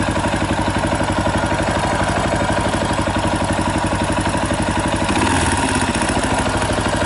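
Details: 2018 Yamaha Tricker XG250 single-cylinder at idle, before cam chain tensioner adjustment: a steady idle at about four beats a second with a light metallic clatter on top, from a slack cam chain due to a loose tensioner.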